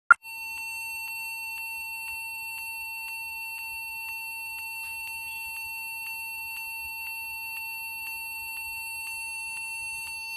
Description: And suddenly this happens; this computer was turn on and this continuously beeping sound begin to emerge.